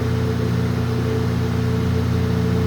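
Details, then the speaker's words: ILG Industries Panel Mount 163 fan, late model, 2-speed GE split-phase motor started directly on high (4-pole, about 1725 rpm), picks up quickly: steady even hum, clean unwavering tone, no rubbing or rattle. Normal high-speed running. "And then I will start it up one time directly on high speed so you get to see how it accelerates, going from 0 to warp speed. All right, here we go. High speed. Picks up pretty quickly."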